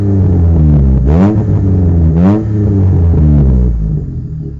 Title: Exhaust leak Rover 213 SE